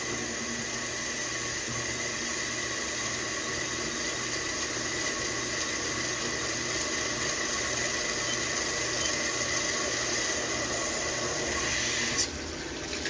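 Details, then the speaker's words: CNC lathe chambering a barrel, converting a Tikka 6.5 Creedmoor to 22 Creedmoor, slow first peck feeding in 500 thou with coolant raised: steady coolant hiss over an even cutting hum, no squeal or stutter; chatter-free cut. "And we're listening for any chatter. And so far we don't have none, that's good."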